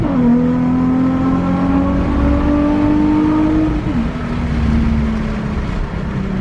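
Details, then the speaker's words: Nissan 350Z on a test drive after a misfire fix, following a grinded shift into second; strong engine note climbs smoothly, briefly dips at a shift, then pulls again with clean, even firing and no stumble; normal acceleration. "oh yeah feels real good now i'm really happy feels really really good now sick"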